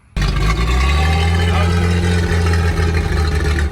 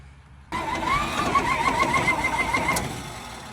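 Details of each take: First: 70-year-old farm truck with a new rotor, points and condenser in its original Autolite distributor: catches and runs with a steady low rumble, settling toward a lumpy idle; running again after an ignition coil swap. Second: 70-year-old farm truck, leaking water pump, oil bath air cleaner removed, choke worked by hand: two seconds of uneven cranking with faint attempts to catch but no start; spark confirmed and carburetor shooting fuel, cranks but won't start.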